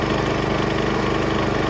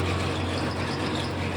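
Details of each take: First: Small engine driving the water pump of a vintage custom gold trommel wash plant, spun fast through the small pulley: steady pulsing drone, hardly any water pumped; owner finds faster speed worsens oscillation and reduces flow, so plans slowing it. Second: Small engine on vintage gold trommel, water pump slowed, 3/4-inch line, water reaching the box but needing slightly more; steady low drone without surging; normal steady pump running.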